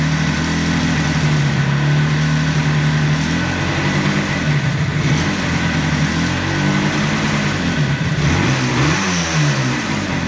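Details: 1976 Yamaha RD400 two-stroke, just revived after five years stored, in a workshop: lively buzz, revs rising and falling cleanly under throttle with no misses or knocks; runs healthy.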